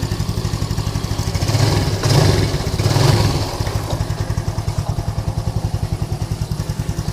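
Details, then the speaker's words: Lagenda 115 fuel-injected single after replacing two faulty parts: pulls through a couple of clean revs then settles to a steady even idle; misfiring and hot stalling gone, normal idle and revving. "Oke geng ni motor dah settle e dari segi semput dari segi panas dia mati Tu Semua dah hilang complete dah hilang ya"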